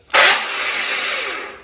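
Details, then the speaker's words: Mopar 580 stroker V8 on run stand, starter spaced away via cut-down motor plate: sharp metallic grinding as starter engages, pinion not meshing properly with flywheel ring gear; starter needs spacing even further. "Sounds real bad because it is. It needs to go even further."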